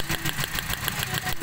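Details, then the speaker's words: Toyota Vios with low power, weak pull on hills and a misfire: coil pulled from cylinder 4 with engine running, sharp regular snapping ticks about seven a second over idle, like knock; strong spark, coil working. "Parang nag-engine knock. Ayan, lakas na ang kuryente."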